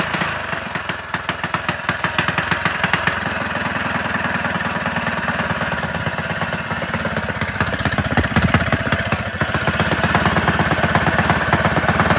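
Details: Rebuilt Predator 224 single-cylinder with an aluminium flywheel, advanced timing key, ported PWK carb and Predator 212 blower housing, after key wiring: quick, steady firing with a crisp exhaust bark, revving lightly, no knocks or rattles; runs healthy.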